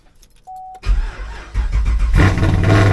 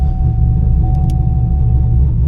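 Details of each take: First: Camaro V8 hot start after adding a trunk ground wire to cure a misfire and hot-start problem: starter grinds about a second before the engine catches and settles to idle; cranking still sluggish, cause unclear. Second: Camaro V8, hot restart after a drive, following misfire and hot-start repairs where a ground wire was the fix: deep, steady rumble with no stumble or slow crank; normal hot start.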